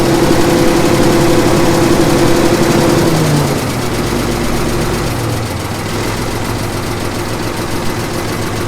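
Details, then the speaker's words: 1954 Caterpillar No. 6 shovel/track loader diesel, 68 years old, barn-stored 15+ years, first start: after decompression lever moved to run, settles into steady even low thumping with no miss; slightly smoky, slight tick remains, otherwise running normally. "Would you look at that? That old girl just fired right up. She's a little bit smoky, but I think it'll come out of that."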